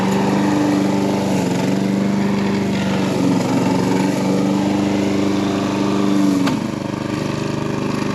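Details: John Deere 14SB walk-behind mower after cleanup, new fuel line and new 6205 blade brake clutch bearing, test run with worn blade fitted: steady, even engine drone, smooth hum, no knocks or rattles; runs healthy.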